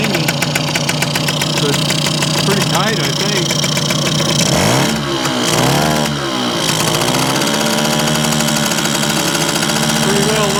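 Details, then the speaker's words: Circa 1965–67 Yamaha YJ2 (Campus/Riverside 60) 60cc two-stroke on premix, mic right up close: rapid crackly idle dips and recovers while adjusted down, clearing excess oil believed loaded in the pipe; no ringing or rattle, tight and running rich. "up get a little better idler down a little bit that's a little too much starting to clear out a little bit I imagine the pipe has got a lot of oil in it"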